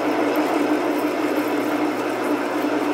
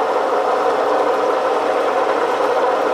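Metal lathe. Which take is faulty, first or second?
first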